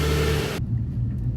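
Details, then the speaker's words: 2008 Nissan Pathfinder R51 (~217k miles) on its first start after a fan clutch and belt replacement (the original failed, causing overheating): a loud whir drops within a second to a low, steady rumble as the clutch disengages; no longer hovercraft-loud. "That's better. It started, you could hear the fan whirring, but it calmed right down."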